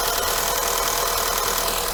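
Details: Skoda Yeti 1.2 TSI turbo petrol chain engine after replacing the timing chain, tensioner shoe and oil pump chain to cure loud knocking and valve-cover rattle, on its first full start: light, even, much quieter idle with a faint pump tick; the high-pressure fuel pump is still to be checked.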